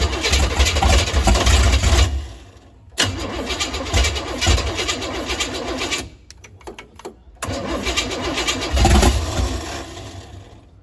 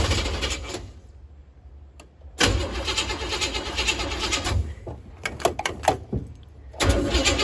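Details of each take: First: 468 big-block Chevy V8 in a Nova, cranking on starting fluid, set up for 93/race gas: three long cranking bursts with uneven pops, never catching; ignition timing too advanced, fixed by retarding distributor. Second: 468 big-block Chevy V8 in a Nova, after a timing correction, throttle held partly open: catches and fires up, uneven throttle bursts with short dips, then pulls strong; normal running.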